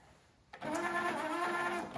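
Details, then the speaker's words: 1982 Nakamichi RX-202 cassette deck, just unboxed and before repair of its UDAR tape-flip mechanism: second-long loud whirring clatter as the carousel turns the cassette over; loud but working flip mechanism, cause unknown. "so it's loud but that'll work because of course not going to be not going to be doing that too often only when you switch"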